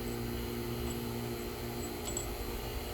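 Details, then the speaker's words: Fieldpiece vacuum pump on sealed AC system, valve closed, back down to microns: steady even hum, quieter settled tone, very different from open/leak state; normal. "boom we're right back down to microns now and the sound is very different"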